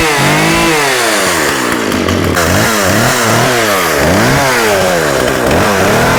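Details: Husqvarna 36 chainsaw with 14in bar, running without choke after carb clean-out and fuel line replacement: revs surge and sag about four times a second, cutting in and out. Coil or electrical fault suspected; off switch also not working.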